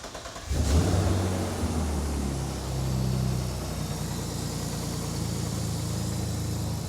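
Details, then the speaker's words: BMW E30 with an S50 3.0 L engine swap, first start after a refresh with new spark plugs, coils in and fluids. It catches quickly and gives a brief rev, then settles to a smooth, steady idle with no misses or knocks. A normal start and idle. "Runs pretty well. I'll take you guys over here so you can see. So, engine runs pretty well. Engine smells healthy. It's running good."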